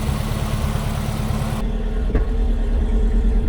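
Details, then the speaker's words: 1965 Chevy El Camino with freshly rebuilt engine, idling while ignition timing is adjusted by turning the distributor; lumpy idle with irregular sharp pops that get louder after slight turning; popping at idle, timing suspected off. "Hear the pops? Yeah. It's a little bit too far, I think. Is it still popping? Yeah."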